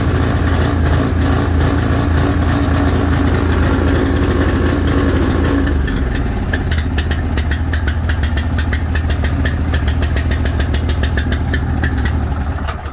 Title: Rough idle